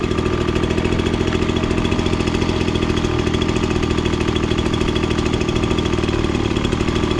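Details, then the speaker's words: Ryobi BP42 two-stroke backpack blower that wouldn't rev up, after carburetor adjustment of about a half turn: holds a high steady scream at max rpm, set slightly rich to run cooler, no surging or bogging; runs at full rpm. "you could hear it basically hit max rpm and then i just went a little bit farther to go a little on the rich side that way if you're running it just a tiny bit rich it helps keep the engine a little bit cooler"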